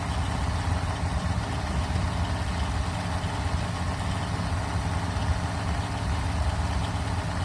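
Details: Freshly built 1974 Mopar 400 big block (stock stroke and crank) on a run stand during first start and break-in: deep steady even drone at fast idle with no knocks or misses; fresh engine running smoothly.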